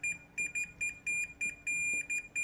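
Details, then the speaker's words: Komatsu starting-system safety relay on bench with two 12 V batteries in series (24 V): when powered the relay clicks in and the meter gives repeated sharp continuity beeps; contacts close, working normally. "saat sebelum kita kasih power di esnya ini dia tidak terhubung saat sudah kita kasih power terdengar suaranya Hai dan kita ukur ini pun terhubung nah"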